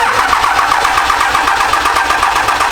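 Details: Truck with a newly installed dual WCFab S400 turbo kit, cranked on first start with injectors disconnected to build oil pressure: a steady, slow, labouring chug at about seven beats a second that never catches; weak battery needing replacement.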